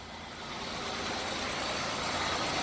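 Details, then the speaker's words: 2000 Buick LeSabre Custom, 3800 Series II V6, 136,000 miles, idling on ramps with the parking brake on after an oil change, with no dash warning lights. Steady even idle with no knocks, ticks or misses; running smoothly. "as you can hear, she's running like a clock. Typical 3800 Series 2 engine. She sounds really, really good."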